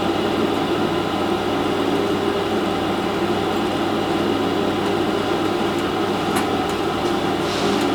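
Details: Industrial conveyor toaster from a cafe after repair and reassembly, on first test: steady, even motor hum with a light whir on top and no knocks or grinding; running smoothly.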